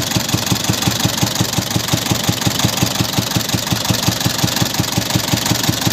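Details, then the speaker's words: Isuzu 4BC2 diesel with weak pulling and misfiring, run before a planned tune-up. Idle with a fast, uneven knocking beat around three per second and a lumpy rhythm. Running rough; the mechanic afterwards blames a leak, not a tune-up issue. "Okay mga idol, paandarin natin. Sama yung andar mga idol. Hindi tune up to mga idol."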